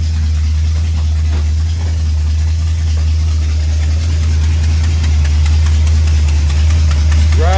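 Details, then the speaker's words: 1966 Ford F100 starting quickly with new starter, then idling: steady low idle with faint tick about four per second; exhaust leak ticking. "check out how fast cherry starts now with the new starter and you'll probably hear the exhaust leak and set it down pretty fast you can also hear it"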